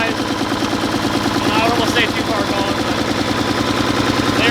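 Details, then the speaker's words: Mack truck diesel, started on a large battery; hard, uneven clatter with irregular firing, speed creeping up and revving away; injection pump rack loosening and governor flyweights failing; rough running from faulty injection pump governor. "seems like the injection pump rack is actually starting to loosen itself up you see how it's starting to rev away so the rack's getting loose"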